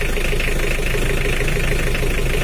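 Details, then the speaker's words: Old Mitsubishi L300 diesel, cold, idle slightly raised: steady, even low rumble with no stumble or miss. The earlier limp is gone and it sounds better than before. "Suaranya udah rata ya lor, tapi nggak kayak kemarin ada pincangnya tak gitu. Tapi sekarang udah rata dan suaranya juga udah mendingan daripada kemarin."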